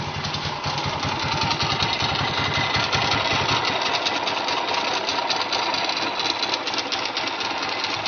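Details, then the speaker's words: Honda GL100 (GLK 100, CDI) engine before teardown at raised idle: a busy, uneven metallic clatter of about three a second from the clutch side. The engine is also smoking and seeping oil. "Sebelum mesin kita nyalakan, kita lihat dulu kondisi suara mesin sebelum dibongkar, ya."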